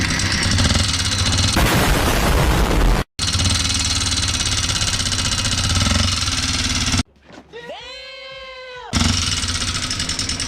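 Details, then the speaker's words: Honda XR150 single-cylinder motorcycle idling before teardown, noisy engine with lost power: loud harsh metallic clatter at idle from worn rocker arms; head and clutch housing to be removed. "So mga kabok yan ang ano yung ingay ng makina ng XR150 niya."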